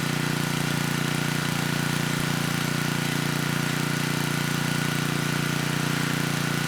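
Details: 10hp Tecumseh HM100 on a 6000 W Western Hemisphere generator with a replacement Oregon 50-656 carburetor, choke off after about 30 s of warm-up: steady, even low drone with smooth exhaust pulse, no hunting or misses. Normal running.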